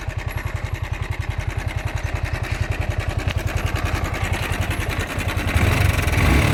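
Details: Yamaha R15 V4 engine noise at idle: quick metallic rattle on each beat, about three and a half per second; slack timing chain tensioner, fixed by replacing the tensioner.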